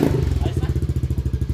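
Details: Yamaha Aerox V1 scooter that had refused to start that morning, now running with battery at 11.7 V: steady, even low thumping around twelve beats a second, no misses or clatter; idling cleanly.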